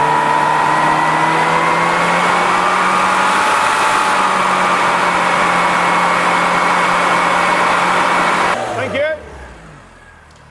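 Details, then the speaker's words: Classic Mini 998 cc automatic after setting valve clearances: held steady at 5,000 rpm about eight seconds, even and clean, then drops toward idle; 22 degrees with vacuum hose off, ignition timing spot on, healthy running. "Well, that is really lovely. So that means we now have 22 degrees at 5,000 RPM with the vacuum hose off, and that means our ignition timing is spot on."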